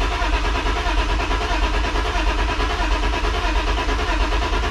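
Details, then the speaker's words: BMW E36 sedan with swapped-in ECU: starter cranks at a steady even rhythm but the engine never fires; crank no start, fuel pump heard, owner suspects a fuel problem. "still sounds the same honestly all right i got i'll try one more thing i'm gonna try to put some starter fluid but i hear the fuel pump"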